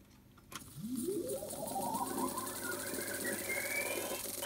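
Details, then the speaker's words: Brenell Mark 5 Series 2 1960s valve reel-to-reel tape recorder, unused for years, warmed up: fast forward gives a smooth whirring spool-up, pitch rising evenly as the reels gain speed, no scraping or catching; brakes stop it fine, normal transport. "let's try to fast forward should all be working fine love that noise"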